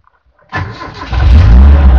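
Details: 1973 Toyota Corolla KE20 after converting to an IC-regulated alternator; a short crank, then the engine catches cleanly and settles into an even, low rumble with no stumble, normal engine start.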